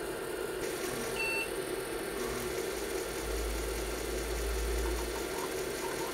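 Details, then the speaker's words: IBM PC 5150 hard drive powering up after a completed low-level format: rough, steady whirring drone with a thin high whistle at spin-up; the drive still sounds terrible, though the cause isn't clear. "let's go my drive still sounds terrible"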